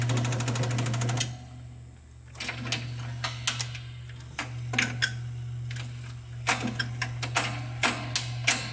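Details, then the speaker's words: Seeburg jukebox mechanism motor running; the CPU is not yet rebuilt. A steady, low, even hum with handling clicks; the motor runs smoothly. "we'll just turn it on and see how the motor runs. You can hear humming."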